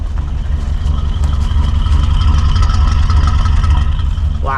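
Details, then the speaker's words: Abandoned 1988 Chevy C30 squarebody with utility bed and 350 V8, first run after years parked: deep, even, very quiet V8 idle with no stumbles or knocks. "she freaking runs she's so quiet wow"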